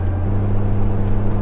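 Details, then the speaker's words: Jeep TJ with roof/windshield-mounted light bar, cruising: only steady low road and engine drone, no whistle or hum; light bar quiet. "you can see now it is totally quiet no noise at all so i'm satisfied with that"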